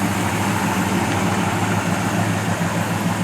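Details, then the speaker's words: 1970 Dodge Coronet 500 convertible 383 V8 idling outside after a no-start diagnosis; steady idle with even low exhaust burble, no ticks, misses or stumbles; healthy idle. "we'll catch that really nice exhaust note of it or that 383 rumbling yeah sounds good"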